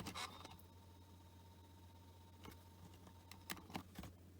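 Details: Panasonic SL-CT700 CD Walkman (2002) seeking between tracks: soft scattered ticks and a faint whirr over a quiet hum. The player sounds healthy; normal seek noise.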